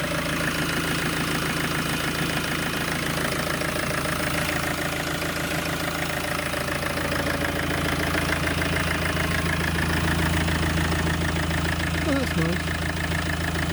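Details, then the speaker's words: Citroen/Peugeot/Fiat Dispatch/Jumpy/Expert/Scudo micro camper diesel van after bell housing and clutch work: steady, even diesel clatter at constant idle with no misses or knocks; engine starts and runs healthily. "well start the up okay that's going"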